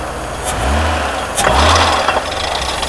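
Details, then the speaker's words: Mercedes-Benz W126 300SEL after overhaul, throttle blips at idle. Sharp metallic bangs come over a rough idle because the harmonic balancer (timing disc) has separated. Engine otherwise healthy, but the car is risky to drive and should be towed back. "So, Brother Zhang actually, He didn't dare to accelerate because he would hear that. At this moment, the sound of the heavy machine disengaging."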